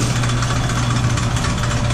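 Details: Sidney Machine Tool lathe, about 100 years old, with a 110 motor. A steady, even low hum with no knocks or rumble; the drive runs smooth and healthy.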